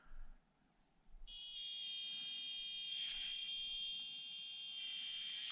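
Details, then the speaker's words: Micro crawler stock brushed ESC, likely CR-18 old version with small torque motor: thin steady high ESC whine at low speed, noisier in reverse, speed modulation not bad. "though speed modulation not that bad you hear the noise in reverse direction this was bad now but far better than in the ashi gts so that's quite okay"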